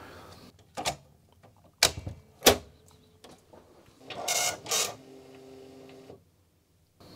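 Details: Commodore MPS 1500C colour dot matrix printer (owner's own from about 1988–89), first test run with the setup routine, not yet cleaned: bursts of rapid buzzing head passes with short clicks and carriage hums between them, printing cleanly and evenly.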